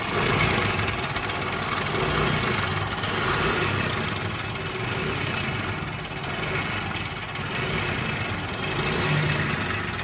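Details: Honda CD 70 (70cc) engine noise: steady small single idling with a light, fast metallic rattle over the beat; slack timing chain, fixed by replacing the timing chain.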